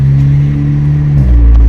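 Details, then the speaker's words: VW Golf GTI DSG after a home repair replacing the mechatronic input-shaft speed/temperature sensor, on a road test: steady engine drone with one clean pitch drop at the gear change, no clunk or flare; the shift feels and sounds smoother. "Feels better. Oh, it fucking sounds better. It feels smoother."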